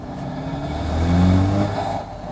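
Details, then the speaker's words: 2021 Land Rover Defender 110 accelerating with the window open: engine note climbs with an airy rush of air through the side snorkel intake, then turbo pressure release when lifting off; normal intake noise, nothing wrong. "se consegue escutar o barulho do snorlax você tá escutando aqui é justamente o fluxo de ar aqui mis Norte"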